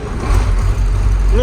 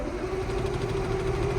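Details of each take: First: KamAZ diesel truck after fuel line was bled and found fine, and the stuck pneumatic engine-stop lever was pulled up by hand; started instantly, short burst of deep, steady rumble with no knocks or stumbles, running cleanly. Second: KamAZ diesel truck cranks but won't start; steady churning crank at about three turns a second that never catches. Fuel tank half full of diesel; owner suspects fuel supply, possibly waxed after frosts.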